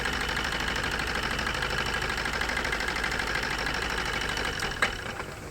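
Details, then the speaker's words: Maruti Suzuki new Swift diesel with abnormal vibration and low power, idling during injector disconnect test; uneven, lumpy diesel clatter with irregular beat that dies away as it stalls; diesel misfire, dead cylinders. "അപ്പൊ ഈ injector working ആണ് ഈ injector respond ചെയ്യുന്നുണ്ടായില്ല"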